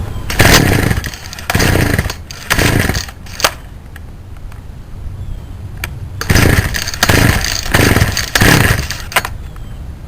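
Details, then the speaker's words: Poulan Wild Thing two-stroke chainsaw, warm, on half choke during carburetor tuning: fires in uneven bursts, blipping up and sagging, never settling to a clean idle; running rough, possibly needing a carb kit or new compression ring. "so to start it up since it doesn't run good we probably have to put it on half choke"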